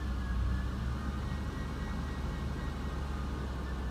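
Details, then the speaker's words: Key start with AC on: fires right up and settles into a steady, even low idle rumble with no knocks, pings or ticking; normal healthy idle. "Here we go. 3, 2, 1. Fires right up. No knocks, no pings."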